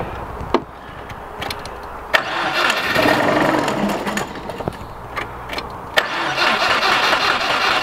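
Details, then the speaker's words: 2000 Subaru WRX GC8 barn find, sat untouched 11 years, belts very bad: cranks, catches for a few ragged seconds, possibly only on fuel put down the throat, then fades and stalls; owner unsure of tank fuel or fuel pump working. "I don't know if there's any fuel in the tank I don't know if the fuel pump's working I think it was only running off that fuel I was sticking down the throat"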